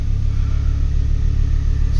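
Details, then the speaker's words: 2008 Ford Focus ST 2.5 Volvo five-cylinder, after repairing the boost sensor wiring for a P0238 no-boost fault: a deep, even rumble held steady with no misses, knocks or rattles. The engine is working fine now. "well apart from the camera doesn't focus you can see that's working all fine there now so I'm pretty happy with that"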